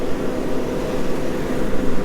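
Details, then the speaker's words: 1-star-reviewed diesel heater heating a pole barn, startup using warm intake air: steady even low rushing roar, no rattles or surges, fan spinning up before ignition; normal fan startup, ignited first try with little smoke. "Now it starts the fan first,"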